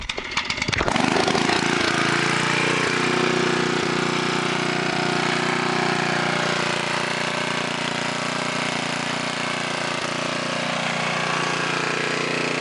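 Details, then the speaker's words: 1999 Sears Companion 5250W generator, Tecumseh HM100 10HP single-cylinder, stock muffler, warm, carburetor and idle jets cleaned: fires right up, loud rough exhaust bark, steady even run with no misses, running great. "It runs perfectly without anything hooked up to it, and then you hook up the electric to it and it's running great."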